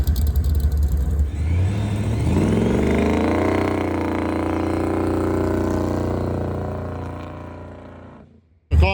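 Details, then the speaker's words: Nova drag car with two-step set at 4,400 RPM: engine climbs, then holds flat and stutters without pulling higher; rev limiter cutting early because the chips were installed backwards, carb issue also suspected. "We had the chips backwards. So, it was uh trying to kill the car at 4,400 RPM here."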